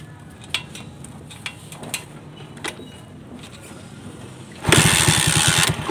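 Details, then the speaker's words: Pushrod-type engine restarting easily after carburetor air and fuel screw modification and side-gapped spark plug: a few light clicks while off, then it catches at once and settles into a steady, even beat; exhaust leak noted, may pop on deceleration. "So ayan guys, may improvement na sa ginawa nating modification sa carburetor, sa air and fuel screw at saka sa side gapping ng spark plug."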